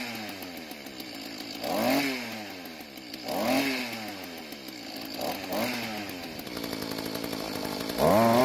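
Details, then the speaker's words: Mantis tiller two-stroke after carburetor adjustment (L screw half turn counterclockwise for more low-speed fuel, idle screw clockwise); revs up cleanly and drops back repeatedly without stumble or bog: normal running and revving. "So after the adjustments, it seems to work a lot better now, but I need to try it on some dirt to make sure I don't need to adjust the carburetor when the engine is under a load."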